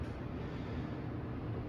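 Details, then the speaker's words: 3-ton AC air handler after adding a second 12x24 return air vent: steady, even low rush of air with no whistle, rattle or flutter, first return much quieter, less strain on system; normal return airflow. "Got our air turned on. Our first return air is much quieter now. And there's our second return."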